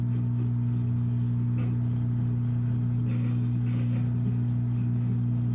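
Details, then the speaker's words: Washing machine on spin cycle: constant low steady-pitch hum of the drain pump pushing water out, which previously would not come on; drains normally though the drum still won't spin. "We hear it draining for sure. So, it's definitely draining. And before that drain pump was not cutting on like that."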